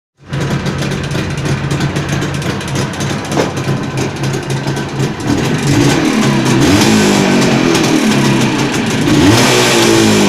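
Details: Jawa 638 two-stroke under build with a tired cylinder-piston group, revving hard and climbing: harsh rattling clatter under the exhaust note; crankshaft knock and chain rattle.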